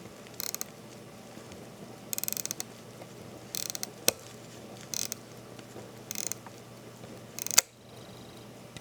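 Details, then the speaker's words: Landeron 248 chronograph movement being wound at the crown: fine ratchet clicks, then a sharp snap as the mainspring slips off the barrel after about 7 or 8 turns; suspected damaged or worn mainspring or barrel arbor. "I will just wind it and then you will hear distinctively when the mainspring inside the barrel slips"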